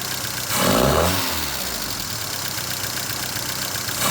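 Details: 1978 Fiat 124 Spider with rough idle under diagnosis: uneven, lumpy idle with a couple of throttle blips, never settling into a smooth rhythm; cause not yet found.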